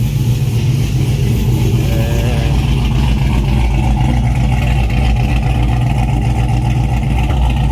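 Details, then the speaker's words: Trailblazer SS V8 with a tuned ECM, at 171° temp, firing on all 8 with no reduced engine power: exhaust crackling on throttle blips, and revs hang high before slowly dropping. Tuner suspects the base table needs adjusting. "I really haven't stabbed the throttle much, but idea what the hell all the crackling is about, but and now you can hear how it does the throttle hang."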